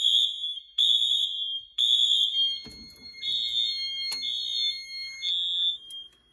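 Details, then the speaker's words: Wheelock/Honeywell fire alarm system test on a Fire-Lite MS-9200UDLS panel: kitchen smoke alarm tripped, piercing tones in repeating bursts about once a second with Wheelock MT horns joining; alarms run ~20 seconds past reset; working normally. "so because of the nature of these smoke alarms they go off for around another 20 seconds after they shut off so that reset so now these are just acting as horns"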